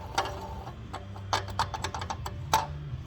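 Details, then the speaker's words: Car engine towed in with heavy coolant loss, about 110,000–120,000 km: uneven dry ticking and rattle over a low hum at idle from the belt drive; coolant is leaking out of the water pump, whose bearing has failed from wear. "und das kann wahrscheinlich hören ja läuft doch das ganze Wasser schon raus aus dieser Wasserpumpe hier da ist in das Lager kaputt"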